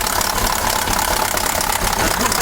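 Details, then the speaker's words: KAMAZ 740 Euro-2 diesel, cold and not yet warmed up and hard to start, idling loudly with a rapid metallic clatter, first suspected near cylinder 3 or 7. "страшные звуки да очень страшная мне вот почему то кажется что это получается какой то у нас 3 получается цилиндр"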